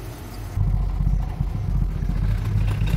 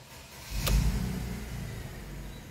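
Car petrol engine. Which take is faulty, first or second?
first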